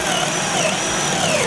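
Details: Harbor Freight 20V cordless drill with 31/64 in brad-point bit in wood, battery not full: motor whine sags and wavers in pitch as the bit bites. Drill bogging down under load.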